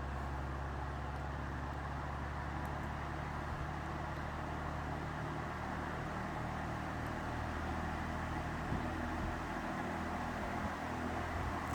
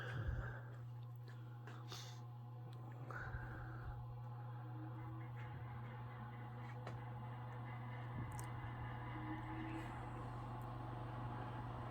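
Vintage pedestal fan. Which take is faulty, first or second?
second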